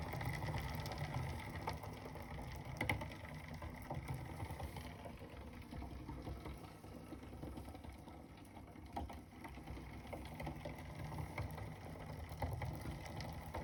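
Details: Bike on an Elite Suito trainer: a low trainer drone with rhythmic mechanical ticking and ratcheting from the crank and cassette as the pedals turn; 10-speed cassette fitted in place of the original 11-speed, no noise in normal riding.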